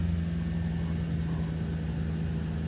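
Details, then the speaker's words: 1997 Toyota Celsior V8 UCF21 just after cold start in very cold weather: steady, smooth slightly raised fast idle, no misses or ticks; normal cold idle. "going to idle a little bit higher because, again, it's a cold start."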